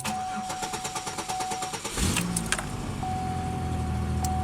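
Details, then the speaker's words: Car cranking for about two seconds, roughly five pulses a second, before catching into an even idle. The owner suspects the extended crank is because it ran only two minutes the night before after sitting a week. "i think it extended cranked now because of the fact that i only had it running for like two minutes last night after sitting for a week just to move them"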